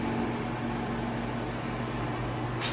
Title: Montlake 300 - Fan / Vibration Noise